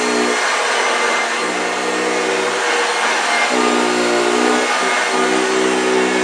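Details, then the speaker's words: 1965 Hoover Junior 1334A upright vacuum running: loud steady roar with a coarse, rough motor growl that shifts as the cleaner moves; the motor sounds a bit dry but the machine performs well. "did you hear the growling wow yes fantastic machine"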